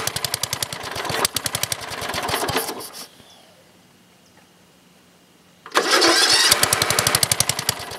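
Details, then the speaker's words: Older Briggs and Stratton engine, one-piece Flo-Jet carburetor, air filter off, jump-started: crisp, regular single-cylinder beat near four per second, steady exhaust, no surging; idling cleanly before mixture adjustment. "okay right now it's running pretty good"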